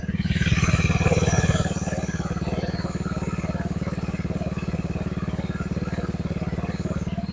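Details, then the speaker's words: Honda automatic scooter (Beat/Vario/Genio type) with aftermarket brong exhaust, idling on stand after final gear repair and new bearing: deep, even exhaust thump at steady idle, no extra noise; normal idle. "ini posisi nyala ya posisi sepeda motornya nyala dan ini agak kurang kedengaran karena di sini dia pakai knalpot brong"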